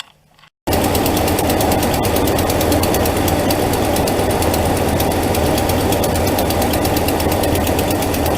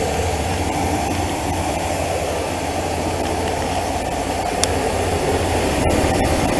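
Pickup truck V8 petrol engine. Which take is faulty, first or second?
first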